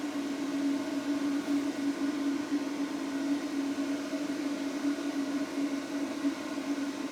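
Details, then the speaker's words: Behringer Europower EP2000 amplifier cooling fan, settled noise about 56 dB: steady, even fan rush with a constant low hum, no rattle or ticking; normal cooling fan noise. "all right so that's the Euro Pro settled noise was about uh 56 on this one"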